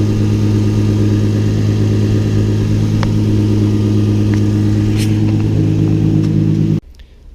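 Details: Infiniti G35 after fitting a 370A Autotech alternator with a new, tighter belt; even cold-start idle with no belt squeal, charging at 14.9V, then shut off. Check engine light still on. Normal idle.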